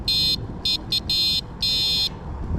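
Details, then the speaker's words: Eskute Wayfarer city e-bike horn check during test ride: five loud, high-pitched electronic honks of varying length, crisp and strong each time. Horn working. "yeah, slightly embarrassing there, but again, better than shouting out to people, I suppose, and people are definitely going to hear that."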